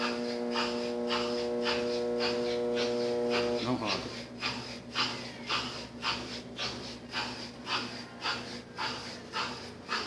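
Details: Brastemp 7 kg washing machine with heating, set straight to spin with the pump on: motor gives a steady buzzing hum for about four seconds trying to start but never spins up, then cuts.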